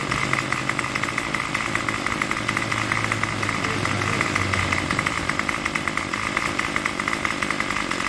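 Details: Craftsman Weedwacker trimmer 316.791191 after repair (MTD 27cc two-stroke, Zama carb): buzzy steady high idle with an even crackle and no surging, running without choke at about 2600–2700 rpm on the tach. Normal running.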